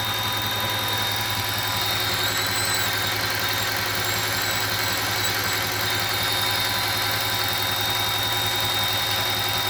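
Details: 2008 Audi S8 5.2L FSI V10 idling evenly with a steady high thin whistle of constant pitch; vacuum leak from a faulty throttle body gasket.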